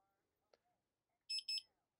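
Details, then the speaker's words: Honeywell security panel being armed with the custom-arming option with the faulted front door zone bypassed. In a quiet room, two quick high-pitched beeps then a steady exit tone as the display shows arm custom, exit now, bypass. "But as you can see here it says arm custom exit now bypass."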